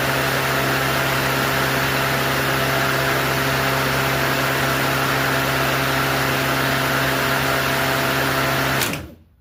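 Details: Craftsman 19-inch corded electric lawnmower, unused a while: steady, even motor hum with firm low tone, no knocks or rattles, then clean spin-down; normal running.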